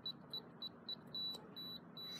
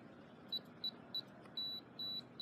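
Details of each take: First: FE595 keypad padlock: after the programming code was changed to 000000, the code 1 2 3 4 is entered as several short high beeps. Longer steady tones follow and the lock does not open, rejecting the code. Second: FE595 keypad padlock: a string of short, high key-press beeps as a programmed user code is entered, then one long tone as the valid code is accepted and the lock releases.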